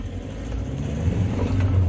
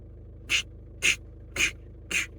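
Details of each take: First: 2011 Skoda Roomster 1.6 TDI with a lack-of-power complaint, DPF and glow plug lights and multiple codes, on a test drive after clearing codes: the diesel pulls strongly with a smooth build under throttle and no hesitation; boost normal. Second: 2011 Skoda Roomster 1.6 TDI, lack of power, DPF faults, EGR had been unplugged due to noise: sharp high chirp about twice a second over quiet diesel idle; squeak, source unconfirmed, possibly EGR-related.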